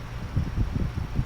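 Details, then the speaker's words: Climate Keeper two-speed window fan, high setting, after oiling the motors: soft, even whirr with a gentle steady pulse and no scraping or rattling; running normally. "actually sounds pretty smooth not too bad"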